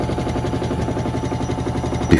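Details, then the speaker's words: Hotpoint WMXTF942P washing machine on spin, before repair: fast, heavy rattling thumps of about ten a second as the drum shakes violently from dry shock absorbers (dampers); greasing them made it smoother. "So I've got it powered back up and back up to speed, and as you can see, it's less shaking now. Whereas before, this is what it looked like before. It was shaking violently."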